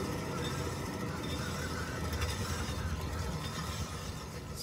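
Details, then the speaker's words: 2006 Ford F-150, raised right front wheel spun on jack stands, no play yet: a steady low growl and rumble from the pressed-in hub bearing lacking lubrication and starting to disintegrate and overheat; dry failing wheel bearing. "you're hearing there is the internal bearing actually lacking lubrication and it's starting to disintegrate overheat and over time it's going to end up having play"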